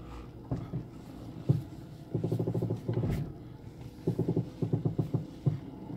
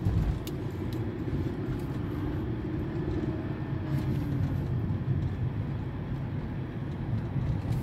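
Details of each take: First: 2007 Mercedes-Benz E200 W211, steering wheel turned at a standstill: crackling, snapping from the front suspension; stabilizer bar inspected as suspected source, not confirmed. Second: 2007 Mercedes-Benz E200 (W211) driving after replacing faulty rear suspension links and parts for a cracking noise when steering; steady road rumble and tire hum, no clunks or creaks over bumps; earlier loud crack now gone, suspension quiet.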